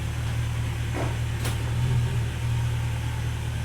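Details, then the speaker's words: Mercedes ML55 AMG W163 after installing a good used transfer case: steady low idle drone with no clunk when shifted into drive and moving; transfer case runs quiet and healthy. "Drive. No clumping noise. Let's try to move forward and back a little bit. She's moving. It sounds really quiet, too."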